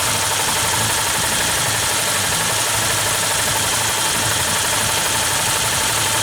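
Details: Yamaha New Vixion at idle: fast, sharp, high-pitched ticking persists after tight valve clearance adjustment; rocker arm bearings wobbly, new rocker arm, valve and rocker shafts bought; valves, timing chain, tensioner next; valve train ticking.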